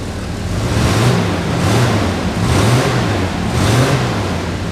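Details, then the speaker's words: 1985 Chevy S10 standard cab long bed, started after sitting a few days: engine pulls up and settles smoothly with even swells. It runs smoothly, though an exhaust leak is audible. "Oh, she sounds good. Now you can hear her."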